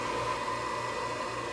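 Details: Old Coleman gas furnace restarted after blower capacitor replacement, doors back on; steady, smooth airy rush with a faint constant hum, no rattles or surging, so the blower runs normally.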